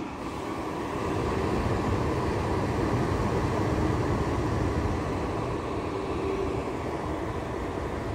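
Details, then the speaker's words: New 100 CFM bathroom extractor fan running on a bench: steady airy rush that eases and drops in pitch when the hand is removed from the discharge, running freely with the same airflow and no back pressure. "now it's slowing down but i still have the same see i still have the same airflow see this but it's not having to work so hard because there's no back pressure on it"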